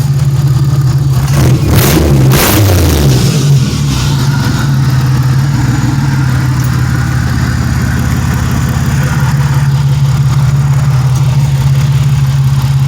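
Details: 1997 Pontiac Grand Prix GTP with the belt now fitted, a quick rev blip and then an even, steady low idle with no misses or knocks. It is running nice; the temperature gauge is rising a little and fuel is nearly empty.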